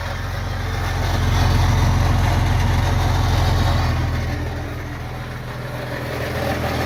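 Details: 2000 Jeep Cherokee XJ 4.0L straight-six at idle on worn factory exhaust before MBRP replacement: deep steady idle with coarse, buzzy, super rattly exhaust noise; cause suspected, not confirmed.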